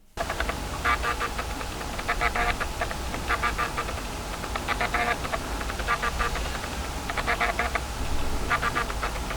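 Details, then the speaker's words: Fujifilm X-H2S camera driving its lens autofocus: bursts of fine buzzy clicking like an old hard drive, about 15 instructions per second, compared with roughly 500 Hz on a Sony. Coarse, stepped autofocus motor. "This sounds like an old hard drive. This sounds like 15 Hz, 15 instructions per second."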